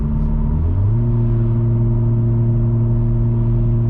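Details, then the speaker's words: 2021 Toyota Supra with muffler delete and FI downpipe, cruising 60 mph in sport mode: deep constant booming hum rising then holding steady, like normal mode at 80 mph, forcing raised voices; exhaust drone from deleted muffler. "hopefully you can hear that awful drone. That's about what it's like in normal mode on the freeway at 80 mile an hour. Just, you have to kind of raise your voice to have a conversation in the car."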